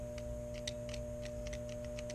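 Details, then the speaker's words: HVAC relay from a Mammoth unit bench-tested with a 9-volt battery: red light comes on and crisp light clicks over a steady electrical hum as the coil pulls in each time. Relay works normally. "you can see the red light and you can hear it kind of click on the inside while at least I can feel it"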